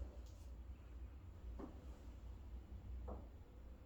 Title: Master room ensuit vent making noise